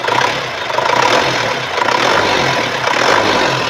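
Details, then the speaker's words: 1997 Isuzu Panther 2.5 diesel revved gently: revs rise and fall smoothly with an even note and no metallic or piston-ring noises. No smoke or oil spray from the dipstick tube and no oil leaks. Normal revving. "tongkat pengukur oli aman dan masih baik. Suara mesin juga normal. Mesinnya baik-baik saja, tidak ada kebocoran oli, masih cukup bagus."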